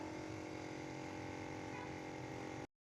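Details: 2006 Honda City automatic at idle after repair of misfiring and poor pickup; quiet, even hum with light regular ticking and no stumbles, engine now idles smoothly and healthily.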